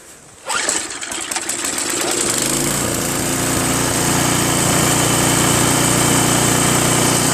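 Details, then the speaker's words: Craftsman 522 snowblower with Tecumseh engine that sat for years. After three carb cleanings (including ultrasonic), a linkage fix and a tightened auger cable, it catches after a brief pull and runs strong, steady and even with no misses or surging. "Now it runs fantastic, it drives, and it blows."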